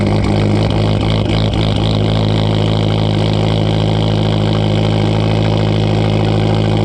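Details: 2012 Fiat Abarth idling with an uneven, stumbling beat, about three pulses a second with dropouts over a steady drone; long-standing misfire, cause not yet found.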